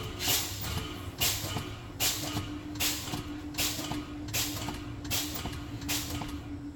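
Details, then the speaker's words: Truck air brake test at idle: sharp air hisses about every second as the brake pedal is pumped over a steady low hum, bleeding air down toward 60 psi to check both low air warning lights; normal pump-down. "I'm gonna continue pumping until I get down to 60 psi to see that both my low air warning light come on"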